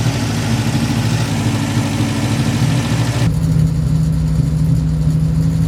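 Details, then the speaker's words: Classic project car after vacuum leak sealing: fast, steady idle near 2000 rpm with idle adjustment screws backed all the way out, not hunting down; idle too high, cause unconfirmed. "I have the idle adjustment screws backed all the way out, and it's idling at 2,000 RPM."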